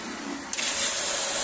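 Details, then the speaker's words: Submersible water pump that only hummed and would not pump, after fitting a new 10 µF capacitor: a soft hiss, then a steady rush of strongly gushing water as it runs normally. "ayan nakita niyo gumagana na sige pakipatay yan malakasang bulwak niyan mga paps"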